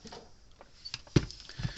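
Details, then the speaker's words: Gallagher M160 electric fence charger, brought in for no green light (bulb found dim), powered on for testing: a sharp single click in a quiet room, the normal discharge pulse of a working energizer. "So far so good. I mean, clicking's half the battle. You know, that's the unit discharging, trying to put up power."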